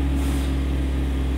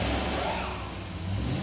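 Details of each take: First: 2011 Chevy Avalanche, 168,556 miles, P0521/P0523 oil pressure codes: engine revs up cleanly and holds a steady, even low rumble with no knocks or ticks; oil pressure now around 40 psi, normal, up from about 15 psi earlier. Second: 2011 Chevy truck with codes P0521/P0523 and a low oil pressure reading of about 15 psi, with the oil level very low: engine revs and settles smoothly with no ticking, rattle or knock. Low oil without audible rattle; oil pressure switch suspected.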